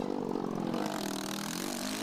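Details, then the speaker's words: Race machine at 2012 GNCC Round 11, St. Clairsville, Ohio, on final lap: distant engine note pulsing unevenly under load; rough running engine. "to that motor that thing is running rough"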